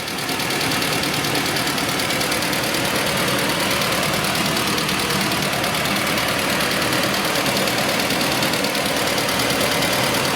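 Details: Toyota Prado diesel with P0014 code, oil starvation from filter debris blocking oil jets to camshaft journals, after repair: faint uneven tapping about three a second under clatter; knock reduced, source not pinned down, debris may remain.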